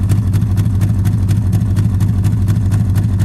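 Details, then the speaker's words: 1951 Studebaker, engine recently unstuck, carburetor leaking, idle raised: lumpy, uneven idle with a dull beat about twice a second, stumbling; misfire, owner suspects burnt valves. "Sounds like hot garbage. So I just gotta be camming it because it's got burnt valves and it's missing."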